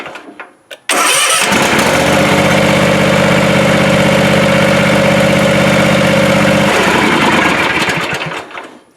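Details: 7-year-old Ariens Ikon zero-turn mower on a weak battery (11.5 V) with a jump box connected, choke pulled: short crank, then it catches and holds a steady, even drone, starting and running normally.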